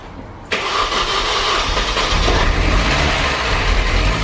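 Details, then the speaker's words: Rebuilt Mini R53 Cooper S engine first start: brief metallic rattle for a couple of seconds fading into idle, suspected chain flopping until tensioned; engine management light on. "sounded rattly at first but i think that was just a chain flopping the tension is gone we're idling engine management light"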